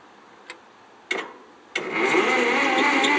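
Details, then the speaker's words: 1957 Ferguson TO35 tractor with loader and backhoe, non-running about 10 years, push-button start with shifters in neutral: a few clicks, then the starter spins quickly and evenly with no compression beats; normal cranking. "there's a little push button you turn the key you hit the push button you have to make sure all your shifters aren't neutral and there's a safety on the high low and then she turned over a few times i'm not gonna really crank it too many times"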